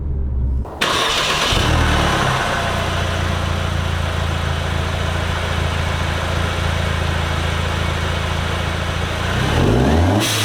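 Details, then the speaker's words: Mercedes C250 W204 after fitting a Turbosmart Kompact blow-off valve: the engine starts, settles and revs with a deep steady drone and a soft, mellow whoosh on the revs. It sounds healthy and less obnoxious, heard inside then outside. "Yeah, there was a quick outside view. I mean, please rewatch it if you want to hear it from the outside, but it's very much a less obnoxious blow-off valve."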